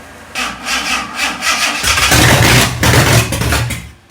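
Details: Fake Aston Martin replica kit car, first start after cleaning gummed carb linkages, brief run with no cooling set up: engine catches and revs in rough loud bursts, then settles and drops away; runs and sounds all right.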